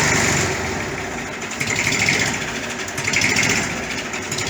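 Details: 1959 Fordson Dexta diesel tractor, 62 years old, after an oil and filter service with no metal found in the filter and oil pressure up: steady, even idle with no knocking or misfire; normal idle.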